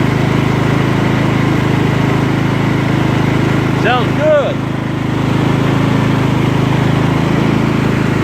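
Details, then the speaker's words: Scotts lawn tractor on a test drive after repairs, blades not yet engaged: smooth, even engine note at steady speed with no surging, popping or misfire; running normally. "No surging, no popping."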